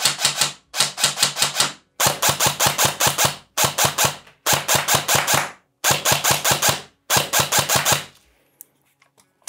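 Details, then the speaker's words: ICS DD MK18 airsoft S-AEG with 3rd-gen EFCS MOSFET, precocking off, firing 0.30 g BBs into a box: rapid bursts, roughly ten shots a second, each with a harsh, high grinding gear screech. "Also wie gesagt, das Ding kreischt leider ziemlich stark."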